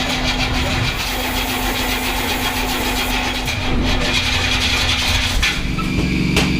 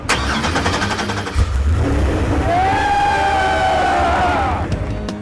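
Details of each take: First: Big-block Crusher Camaro being jump-started at about 20°F after a dead battery. Starter fluid was sprayed through paper air filters; labored cranking catches into a rough, uneven idle with sharp cracks about every second, backfiring and pinging on the starter fluid. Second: Freshly swapped LS7 in the Crusher Camaro, first start on a trade show floor: brief crank, catches cleanly, revs up and falls back to a steady even idle; healthy first start.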